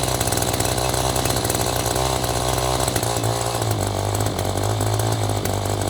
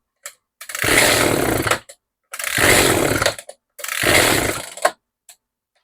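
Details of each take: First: Echo string trimmer with aftermarket replacement carburetor, choke just turned off: small two-stroke buzzing steadily at fast idle, fast enough to spin the head; idle speed set too high. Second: Echo GT-2200i string trimmer, after the mixture screw was turned out in half turns. Repeated bursts of high, buzzing revving with clean cutoffs, each holding steady without bogging or dying. Now running properly; needs a little more carb tweaking.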